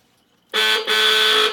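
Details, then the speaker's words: 1973 IZH Jupiter 3 350cc two-stroke motorcycle, revived after years unused: a single bright, steady honk of about a second with a brief dip; the horn works, sounding a little unusual. "it's a little different sounding horn"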